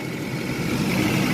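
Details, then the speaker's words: Classic auction car with a small four-barrel carburetor, a marking reads 3813 while dash suggests 303; smooth, even idle with a steady low hum, no knocks or misses, running good. "that's a 3813 but I think these I think it's a 303 on the dash so that's interesting but it's running good you know"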